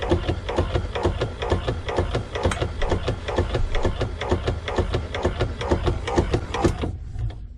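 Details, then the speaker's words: Sea Ray boat aft-head VacuFlush toilet vacuum pump after duckbill valve replacement: steady rhythmic thumping about two strokes per second, runs briefly then stops cleanly with no hiss afterward; normal. "Well, it didn't pump for long and it stopped. Let's listen for a hiss. I don't hear anything. So I think we're good"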